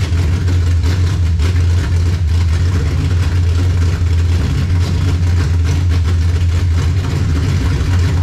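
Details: 1967 Dodge Charger V8 with 727 transmission, freshly rebuilt and just fired up: deep strong burble with steady loping beat, no knocks or ticks; normal running.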